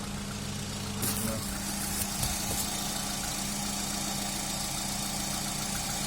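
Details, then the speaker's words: Hyundai Elantra HD, cold start at idle, no catalytic converter: light, quick ticking about three or four per second from a hydraulic lifter not yet pumped up with oil; stops when warm. "вот такой как cовременный скачок гидрокомпенсатора тик-так тик-так тик тик тик тик тик тик тик тик тик перестает 5xxx и перестает это прокачивается 1 из 16 гидрокомпенсатор"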